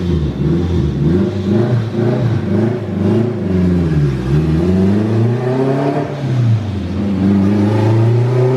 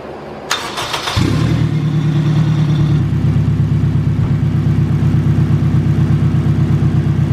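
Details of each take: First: Acura RSX with a boost problem on the dyno, mixture rich around 11.0 AFR; boost and wastegate duty are raised and the climbing turbo whistle under boost suddenly breaks off and falls away as the turbocharger fails. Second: Turbocharged Acura RSX after fuel system fixes, fired up with both fuel pumps running and base fuel pressure about 55: cranks briefly, catches cleanly and settles into a steady even idle without stumbling; sounds healthy.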